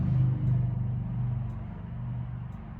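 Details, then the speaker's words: Forest River Surveyor Legend 240BHLE RV refrigerator on propane: faint sharp igniter tick about once a second over a low rumble, but the burner doesn't light; after resetting it lit on a later try. "so it's trying right now let's see if it goes still clicking it's still trying let's see what happens nope didn't work"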